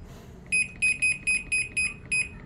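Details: American Home automatic washing machine after controller board replacement for a no-power fault: crisp high beeps, eight short ones about three per second, as programs are selected; panel responding normally.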